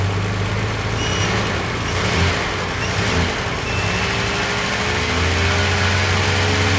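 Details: 1976 Capri Ghia, carbureted, running after carb fuel leaks were fixed; fuel system good, getting warm, vacuum systems not working, tune uncertain. Steady low idle with brief rev changes, no misses or backfires; running normally.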